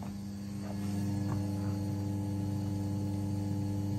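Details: Two fuel pumps on PWM speed control via fan control module at 95% duty, about 750 kPa (~100 psi), 38 A, voltage dropping to 11.4 V: steady low electric pump drone with faint uneven ticking; fuel pressure regulator chatter at high pressure.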